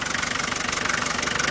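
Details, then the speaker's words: 1987 Land Rover Defender 110 12-passenger: a steady, even idle with a regular light ticking pulse, no knock or misfire, running like a sewing machine. It sounds healthy. "a small video here of the motor running so you can hear it. It runs like a little sewing machine."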